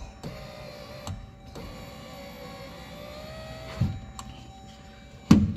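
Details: 2015 Jeep Grand Cherokee driver door window after glass replacement, glass clipped into regulator: smooth even motor whir as the glass travels, no grinding or binding, clean stops; window works.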